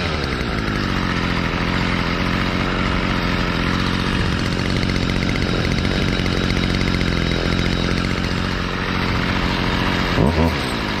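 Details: 2011 Stihl FS55R trimmer, 27.2cc two-stroke, nine years old, last run November 2019, started on choke and primer bulb; even, buzzy note holding steady speed with no misses or sputter; normal running.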